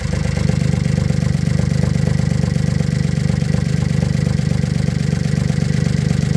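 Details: VW Polo first start after timing chain and oil pump replacement: even, steady idle with a smooth low pulse and no knocks, ticks or rattles; engine runs healthy.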